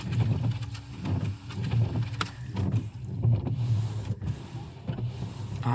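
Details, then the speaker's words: 2008 Mercedes-Benz S550, about 200,000 miles, after replacing scraping wiper blades: soft even sweeps about once a second, first dry then with washer spray, no chatter or squeal; normal wiper sweep. "oh yeah and that's quiet and that's without the water"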